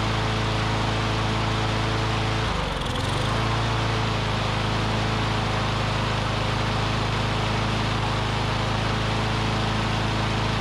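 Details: Curbside Briggs & Stratton Classic push mower engine; owner thinks debris in the fuel pickup tube cleared, and it holds a steady hum on its own fuel with one short dip, then smooth again. Normal running.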